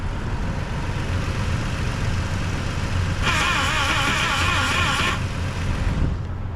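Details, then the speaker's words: Newly installed Dixie air horn on a vehicle, horn tubes not yet connected: the engine idles low and steady, then the compressor buzzes and hisses for about two seconds and shuts off cleanly on time; the air horn compressor is cycling normally. "So, compressor is going off. It sounds like it's going off timely."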